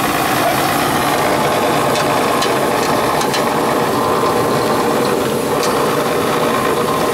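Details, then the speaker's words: Gas furnace with no heat that fires then shuts down: loud continuous mechanical rattle and scraping from the inducer/exhaust fan motor, steady throughout; inducer fan blade out of balance, blower assembly to be replaced. "there's a fan blade in it that's just maybe a lot of balance oh hey"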